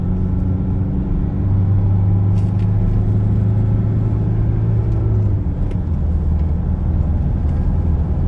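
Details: Toyota Hilux 2.5 after repair for whole-truck vibration at 50 km/h and a loud bearing noise at 80 km/h: steady low road rumble at about 80 km/h with no hum or growl rising with speed; drivetrain now runs smoothly.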